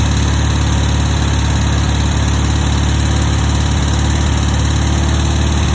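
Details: 1960 VW single-port air-cooled flat-four idling with a steady tapping of about three beats a second. It gets worse when warm, and cylinder two burns a little oil. The cause is unidentified after months of chasing.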